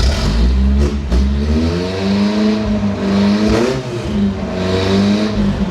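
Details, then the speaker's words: Toyota 4Runner left sitting 10 years, first run after fuel filter and lines hooked up: exhaust cuts out, engine revs unevenly with a lumpy stumbling note, not on all cylinders. "The exhaust just cut off for no reason. It definitely doesn't seem like it's running on all cylinders."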